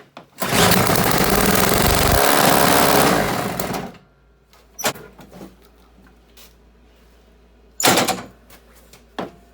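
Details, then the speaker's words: Toro CCR1000 3-horse single-stage snow blower, free no-start unit, carb partly cleaned, emulsion tube not yet removed: runs about three seconds on fuel squirted into the intake, then dies abruptly, leaving clunks; fuel starvation, not getting fuel up to the venturi. "So I think what's happening is it'll run if I squirt fuel in there, so it's not getting fuel up to the intake, the venturi there."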